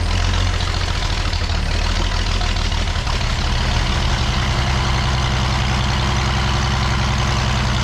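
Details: Old petrol engine being revived, running after spark was restored to the plug and timing adjusted: deep steady rumble with even firing and no misses or knocks; idling smoothly, normal running.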